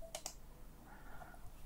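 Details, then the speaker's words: Microsoft Sculpt Ergonomic mouse, left button after its push-button switch was replaced by soldering: two crisp, sharp clicks in quick succession with no double-tap or mushiness, where before the repair it did not click or work. "you can hear the clicks it was not before and it was not working"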